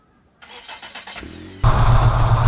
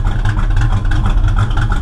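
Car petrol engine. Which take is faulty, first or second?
second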